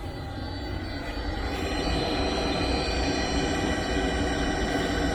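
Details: Webasto Thermo Top V fuel-burning park heater on a Land Rover Discovery 4, recorded close up after start: steady whirring blower with soft even ticking about four per second from the fuel pump; burning and running normally.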